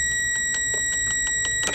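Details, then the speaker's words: Chrysler 100hp two-stroke outboard (1982 boat, sat about six years), starter solenoid given a ground: quick, even clicking pulses about five a second with a faint whine. The starter turns the engine over normally; the owner feels great compression. "Oh, there she is. Cool. Let's feel that compression. Oh yeah, great compression."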